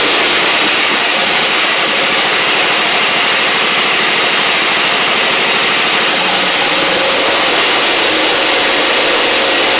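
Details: Husqvarna LGT2654 Briggs V-twin mower engine: a loud, rough, lopsided beat with smoke. The left cylinder is dead despite spark, from a dropped pushrod and badly adjusted valves; a pushrod or cylinder head had been suspected.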